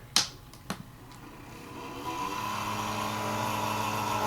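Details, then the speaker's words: Coca-Cola mini refrigerator running on AC, 12 V fan: two clicks then droning hum with buzzy tone, fan failing and slowly slowing down, worn bearing suspected; fan to be replaced with Cooler Master fan. "if you hear that that's coming from that fan yeah see that that fans going bad and it's slowly slowing down"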